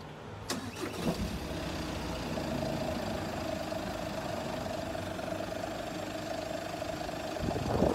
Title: Why does the engine significantly shake on ignition and then a continuous shake on idle?